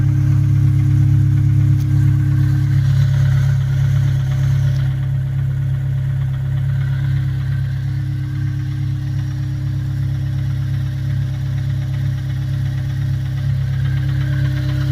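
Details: Honda S2000 idling with a deep hum and faint regular knock about four a second; owner suspects rod knock or timing chain tensioner.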